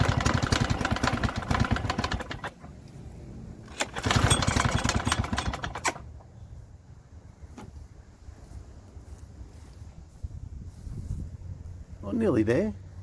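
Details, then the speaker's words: Victa Sunbeam mower from about the mid-1970s, seemingly never cleaned, with some fuel already in the tank: pull-start bursts catch for a second or two, then die each time, so the engine won't keep running. Spark proved very healthy; owner suspects fuel. "A very healthy spark. Must be fuel. I dare say it's fuel."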